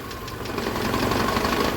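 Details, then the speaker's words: VAZ 2112 warm idle with faulty ignition module: uneven, stumbling, choking beat, one cylinder dead, fuel smell; pressing on the module connector smooths it, releasing brings misfire back; misfire from faulty ignition module. "движок прогрелся и вот началось двигатель троит слышно да как троит как было до этого"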